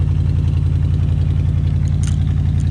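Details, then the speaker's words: Old Ford F100 pickup, likely original V8 with newer carburetor and breather, sat about 17 years, after carburetor rebuild: deep even burble at idle, steady exhaust pulse, no misses or visible smoke, muffler has two holes; idles smoothly. "listen to that truck y'all look at that beauty she is idling two holes in the muffler"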